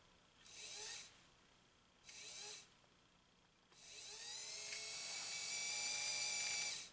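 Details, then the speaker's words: Restored Pfaff 130-6 sewing machine winding a bobbin, thread spool moved to a pin with a smaller felt for stability. Short whirring bursts, then a steady high-pitched whine that rises and settles, with no knocks: normal bobbin winding. "Okay, here we go. At last, let's wind a bobbin."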